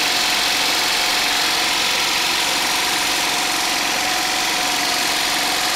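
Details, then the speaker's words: DIY 12 V DC generator, a small engine driving an alternator of about 80–100 A, muffled exhaust, started by a momentary switch, charging a battery bank and inverter: an even, steady hum with a lot of hiss and no knocks or misses; running smoothly. "so I wanted to show you my 12volt DC generator actually operating and this is it operating with my battery bank and my inverter"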